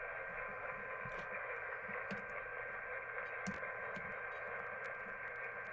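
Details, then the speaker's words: uBitx ham transceiver with Nextion touch screen, receiving on 40 meters: steady hiss with faint warbling broadcast audio bleeding through, as the receiver picks up the AM broadcast band. "So the problem is it's picking up the AM broadcast band. That's what our problem is."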